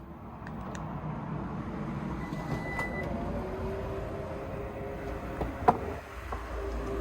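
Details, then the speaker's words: Lexus NX power tailgate closing after greasing the telescopic struts (part 68920-48061) that had made a rumbling, grating noise in warm weather: a smooth soft motor hum ending in one light latch thump, no grating, quiet. "Okay, and then back down and listen. Quiet as a mouse."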